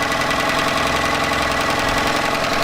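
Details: Yamaha 9.9hp outboard idling after replacing a cracked, dried-out carburetor diaphragm that caused heavy gas leaking; steady even putter, constant beat, no stumbling or surging; idles smoothly and healthy.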